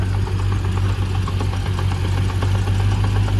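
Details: Land Rover Discovery 1 just bought, idling after it stalled on arrival: deep rumbling idle with a faint uneven knock about three per second; owner suspects transmission, flexplate/flywheel or a backed-out bolt, not confirmed.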